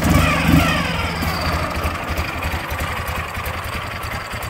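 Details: 2006 Ural Troyka 1WD sidecar motorcycle, carbureted twin, cold start at about 38°F after a recent test ride and gasket oil-leak repairs: fires with a throttle blip and settles into a steady, slightly lumpy cold idle; sounds healthy.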